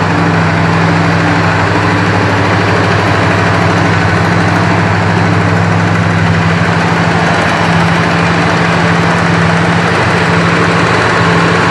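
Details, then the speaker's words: 1965 Chrysler 300 V8 after replacing the worn-bushing points distributor with a Proform electronic ignition: smooth, even running with a steady low drone and no stumble. It revs cleanly now; before, it stumbled above 2500-3000 rpm. "Well, I can tell you one thing. It does rev up a lot nicer. Uh before when I would bring the RPMs on this up past about 2500 3,000 RPM, uh the engine would start to stumble and not run smooth."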